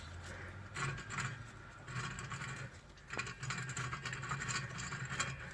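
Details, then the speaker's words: Jaguar XF front wheel hub turned by hand, removed during bearing replacement for a juddery, grumbly ride: rough gritty patter with uneven bursts; front wheel bearings worn out. "that is not good and your uh bearings are shot so uh if you're at this stage changing your discs and the uh Hub SIDS like that get rid of it before you reassemble everything"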